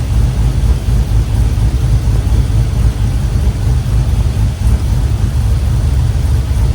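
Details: 1967 Chevrolet C10 with LS V8 swap, plugged fuel injectors suspected from dirty fuel after O2, MAP sensor and air cleaner work; injectors reconnected, now on all eight cylinders. Deep, steady idle with even smooth beat, no misses or stumbles: normal idle.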